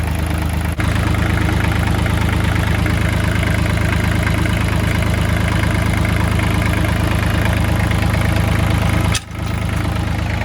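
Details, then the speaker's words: Kubota L3000DT tractor diesel, replacement used engine, fuel line bypassing weak lift pump straight from full tank: deep even chug, regular firing with no knock or stumble; healthy idle. "Yep. I got fuel up here now. Sounds healthy. pumping."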